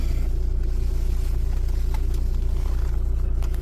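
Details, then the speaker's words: Audi A6 C6 TDI after a crank-no-start repair (water found at ECU location, relays replaced), running during a scan: steady, even diesel clatter at idle, about two and a half beats a second, no misses or knocks; normal idle. "um you can probably hear it running in the background and then a second once I completed this scan"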